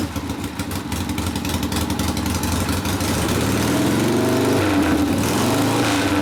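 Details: 1972 Harley Sportster XLCH Ironhead after case repair and engine rebuild (came in with kick starter unable to turn the locked motor): uneven pulses after start-up gather into a steadier, faster beat toward idle; normal running.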